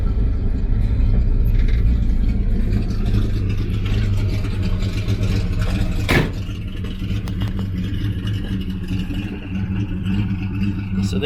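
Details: 1965 Chevy C10 with the original 250ci inline six with a cam, recent tune-up, rebuilt carb and new fuel pump. It holds a steady low idle with a slight cam lope and no knocking or rattles. Normal idle.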